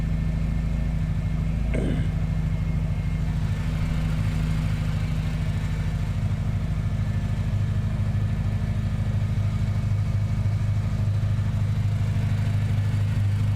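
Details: Car being diagnosed, wideband O2 signal dropping from 4.11 V to 0.51 V so the ECU thinks it runs super rich: low, lumpy idle with an uneven pulsing beat at steady pitch that never smooths out; rough idle.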